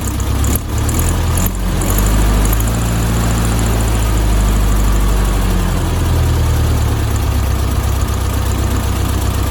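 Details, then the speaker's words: 1972 VW Beetle 1200 air-cooled flat-four after fresh oil and rechecked valve timing: smooth, even idle with steady low putter, oil pressure light out, no drips, no knocks or rattles; running healthy. "let's start it up and see how it runs wow it's already here just how much better it sounds"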